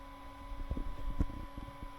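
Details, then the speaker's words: Orange AD200 MK3 200 W bass valve amp head on the bench, turned up into a hot-plate dummy load drawing about 1 A, no red plating: steady low fan roar flat out with constant hum, no crackle or popping; normal cooling fan at full speed. "The fan is going at it hammer and nail, as you can hear."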